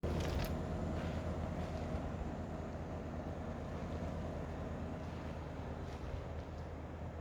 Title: Daikin Altherma buzzing noise long video